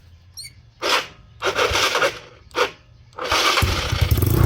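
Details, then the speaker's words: Motorcycle single-cylinder engine, 192cc 2-valve, planned for 213cc 4-valve upgrade: a few cranking bursts, then it idles with a harsh, raspy, loud exhaust; engine itself quiet, the noise is the pipe. "So, problema lang naman niya ngayon is pipe. Ayan. Ayan o. Ay, kaya maingay. Tahimik naman yung makina."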